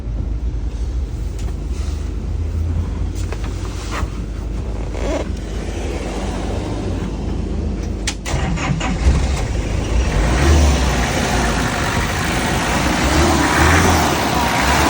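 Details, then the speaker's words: 1970s Colombian Ford B250 with 2.7 L Nissan turbo diesel cranks, catches and settles into a bubbly burbling idle, then revs cleanly with even firing; quiet, healthy-sounding; normal start and rev. "it doesn't sound too crazy it kind of sounds like bubbles that's what I always joke about but overall it's got a good quiet sound"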